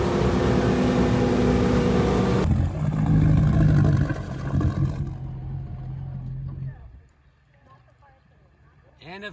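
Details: Boat with GT-40 engine after fixing intermittent surging by resoldering a broken capacitor wire on the computer board, test drive: strong even drone holds steady without surging before fading; running right.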